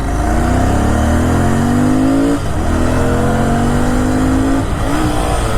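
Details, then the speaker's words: Royal Enfield Continental GT650, exhaust swapped back to stock: engine pulls, then revs flare twice with no drive as third gear slips to neutral; gearbox jumping out of gear, engine dismantled and a broken gear found. "यह देखो, तीसरा gear लड़के फंस गए हैं। . ऐसा लगता नहीं है। न्यूट्रल में चलती है।"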